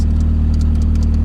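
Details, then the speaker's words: Nissan 180SX, short drive with coolant added: a steady deep idle drone with sharp irregular ticking and puffing. The downpipe gasket bolts are loose and one is missing, causing a major exhaust leak. "one's missing we got a major exhaust leak"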